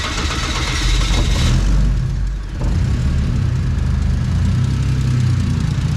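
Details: VL Commodore with a converted turbo Barra Greentop six (300,000 km), TH400, 9-inch diff, Haltech ECU, running E85. It cranks, catches, flares, dips briefly, then settles into a steady, even bass idle. The idle was tuned on the hoist with a wideband: healthy.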